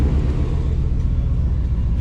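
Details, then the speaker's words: 2000 Chevy K2500 flatbed, 350 small-block V8, idling after new no-weld stainless exhaust and muffler: deep, steady, even rumble with no misses, ticks or leaks; a little loud, no check engine light. "Oh. She's a little loud. So, we'll see how long this muffler stays on it, but so far, no check engine light, I don't think."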